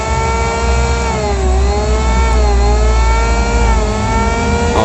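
Steady high motor whine holding an even pitch with only slight dips under load, no rattle or grind: the planer runs healthy.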